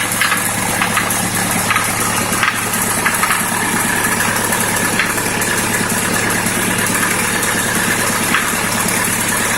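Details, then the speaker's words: ZMZ-51432 engine warm idle: silent when cold, after about 3 minutes a sharp light tapping starts above the steady clatter at regular intervals, more frequent as it warms; knock of unknown cause. "Ну вот прогревается и начинает стучать где-то вот в области здесь вот, то есть"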